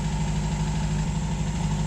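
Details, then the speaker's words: 1951 MG TD back home after a hot drive, treated for vapor lock with a heat shield, cleaned carbs and ethanol-free gasoline; an even, steady low idle with a regular beat and no misses or sputter. Normal warm idle. "just arrived home and she's still running great that seems to have done the trick the heat shield and cleaning out the carbs real good"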